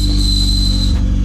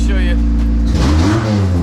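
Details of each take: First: 1990 Honda CRX Si DOHC ZC engine running with transmission: high steady squeal over engine drone, stopping with engine; suspected clutch release bearing, transmission removed. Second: 1990 Honda CRX Si with ZC DOHC engine after new clutch and flywheel and transmission refit to cure a release-bearing squeak: revs rise and fall smoothly as the clutch engages in first and second gear, no squeak. Quiet clutch engagement.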